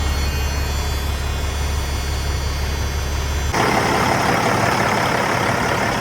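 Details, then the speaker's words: Freightliner FLD, C15 diesel, after an oil and filter change and a new fuel filter: deep, steady idle with an even low rumble, no misses or knocks, and 60 lb oil pressure at idle. Normal idle. "But yeah, I mean, seems pretty good sitting there. 60 lb oil pressure at idle 60 two."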